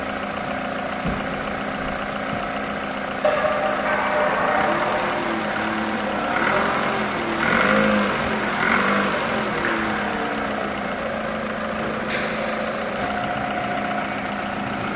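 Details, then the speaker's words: 2010 Toyota Camry 2AZ-FE 2.4L after camshaft and VVT-i gear replacement for code P0335: the engine starts and settles into an even idle with a brief rev blip, no knocking or ticking. Check light off, running normally. "हां हां तो दोस्तों गाड़ी की starting बिल्कुल okay है और गाड़ी में कोई मसला नहीं है"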